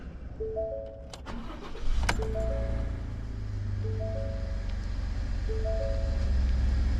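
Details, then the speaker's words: 2016 Ford F150 2.7 EcoBoost V6 at about 103,042 miles, started right after an oil change with no oil pressure at first: brief crank, quick catch, steady even idle under a repeating chime, no knocking or rattle. "How do you start any engine after oil change? You crank the damn engine up. Just crank it up."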